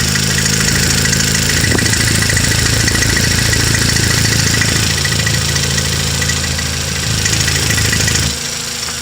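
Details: 2016 Toyota Camry 2.0 6AR-FSE at 22,000 km idling with a fairly regular light knock about three or four per second over a steady hum; engine knock, cause unknown.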